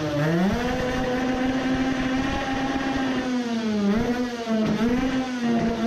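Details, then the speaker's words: Two-stroke moped, new racing carburettor with 100 main jet: screams up but note drops and stumbles near the top; revving more but misfiring even worse; owner concludes carburettor is not the cause, worn loose spark plug noted. "my ears were just fooled it is revving more but misfiring even worse"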